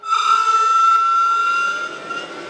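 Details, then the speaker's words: HPEVS AC-50 induction motor with a Curtis 1239-8501 144V 500A controller, bench tested. A slow throttle ramp is quiet, but a quick throttle stab brings a clean, high, electronic-sounding squeal from the drive that then fades. Squeal on fast throttle. "Okay, so if I start slow and ramp up I don't get that I don't get that squeal. But if I go quickly"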